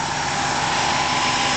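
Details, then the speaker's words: 1994 Buick Roadmaster LT1 at idle with A/C on, compressor (not idler bearing, per stethoscope check) growling roughly over a steady mid-pitched drone while clutch engaged; pressures about 30 and 150 psi, cooling ice-cold; compressor growl. "stethoscope on they said it's not for mean barring it's the compressor itself does that sound normal anybody else in the opinions on that chimed in"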